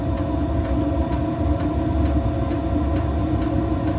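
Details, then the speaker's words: Diesel air heater after E-06 fan-sensing error, sensor moved closer to the fan and reassembled, nothing actually replaced: steady hum with soft, even tick about twice a second; fired up and running, intermittent fault possible. "tightened it all up again, and you might or might not be able to hear it's now reinstated, and it's just fired up."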